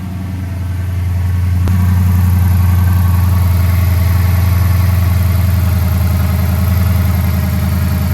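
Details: Dodge Charger 5.7 idling after water pump replacement and vacuum coolant refill: engine catches and settles into a smooth, even idle with a steady low throb, no ticking, knocking or whine; leak check to follow.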